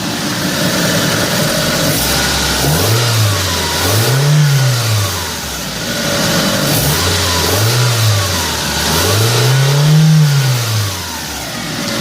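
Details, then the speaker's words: 1997 Mitsubishi Mirage LS coupe 1.8 L 4G93, just after adjusting its mechanical valve lash to cure valve noise: engine blips up and settles back smoothly twice with no ticking. Sounds normal again. "sounds just about as boring as it used to so that's the good news"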